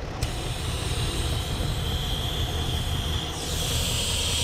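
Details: 2011 Jeep Liberty 3.7L with multiple EVAP leaks after rear impact, idling during purge valve testing with vacuum gauge: steady airy hiss over a low, even idle rumble; vacuum hiss, leak suspected in the EVAP purge line.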